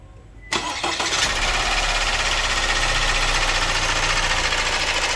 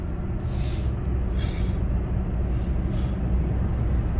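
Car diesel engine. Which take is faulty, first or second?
first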